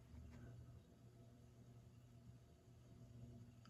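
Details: Lasso Turn of the Century 4-speed ceiling fan: soft steady low hum with no ticking, wobble or scraping on lowest speed; running smoothly.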